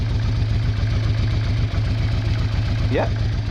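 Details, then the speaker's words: Honda Bros/Hawk GT 650 (late-80s twin), first start after battery trouble: briefly ran on one cylinder, now firing on both; even, steady lumpy idle with deep hum, no misses while warming up. Owner checking for a small coolant leak. "well excellent we are running on two"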